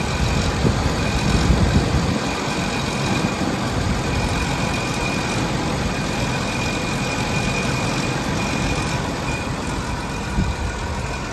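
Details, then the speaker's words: Cold start and idle of a 1987 Jaguar XJ6 at about 85°F ambient, engine at ambient temperature, heard outside at the injector side and exhaust: steady, smooth, even idle with light injector ticking and no knocks or misses. Normal cold idle. "just running nice and smooth you're on the injector side more clicking beautiful smooth verbal out of that exhaust"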